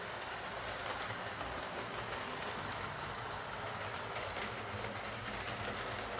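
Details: Old Lima Class 40 model locomotive in BR green, front-bogie fault fixed by fitting a complete replacement motorised chassis: quiet, even motor whirr with light rail clatter, no stutter or surging; running smoothly.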